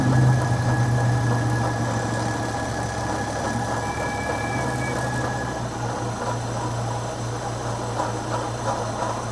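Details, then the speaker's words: Long-stored Model A hot rod coupe at idle: steady rumble with a thin, constant high hiss. The PCV valve sits very loose in its hose and is heard sucking, so a vacuum leak at the PCV valve is suspected. "this is just super loose in that hose you see you can hear it [Music] sucking the PCV valve when I put my finger over it I might have a vacuum leak there because of that that's super super loose"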